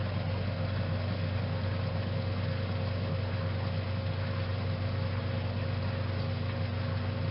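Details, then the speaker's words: 1956 Whirlpool Imperial belt-drive washer entering spin after the neutral drain: steady, even low motor hum with no knocking, grinding or surging. Normal spin. "and our wig wag has kicked into spin and the way we go"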